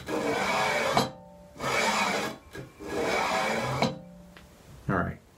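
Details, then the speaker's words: Prusa i3 MK3 3D printer Y carriage pushed by hand with the belt removed, after reinstalling the linear bearings with nuts tightened 90 degrees past flush: dry rasping swish about one stroke per second each way; linear bearing noise. "this is what the bearings are sounding like without the belt on now it's not that much different from my second attempt"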